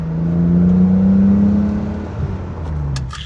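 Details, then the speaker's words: BMW E31 850i V12, back on the road after 14 years abandoned and a full mechanical restoration, driving in sport mode: a smooth, deep drone rises under acceleration then eases to a burble, the exhaust seemingly breaking in and getting deeper. "Oh, did you hear that? I think the exhaust is slowly breaking in."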